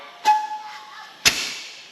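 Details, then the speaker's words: 2007 Toyota Camry 2AZ-FE 2.4 L four-cylinder, leak-down test on cylinder 3 (about 20% leakage): pop and rush of hissing air at the opened radiator cap, combustion gases entering the cooling system from a failed head gasket. "Ooh, we got a lot out of that one. So again, on number 3, we have combustion gases getting into the cooling system. Telltale of a head gasket."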